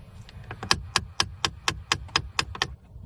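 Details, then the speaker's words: 2013 Jeep Patriot, under the dash, temperature knob at full cold: sharp plastic clicks about four a second as the blend door actuator drives the door to its extreme, stopping just off cold; blend door actuator clicking. "if I go all the way to the cold position that actuator has turned that door all the way to the extreme and it's uh clicking if I turn just just a little bit off of cold it that the clicking stops"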